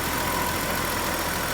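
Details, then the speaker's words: BMW 330i, 18 years old, sat nine years, new fuel pump and sending unit, cleaned injectors; two days later running with intake off. Steady idle, even hum with a faint light tick ("a little tick, not bad"); idling fine. "two days later no intake in it it's got a little tick not bad at all"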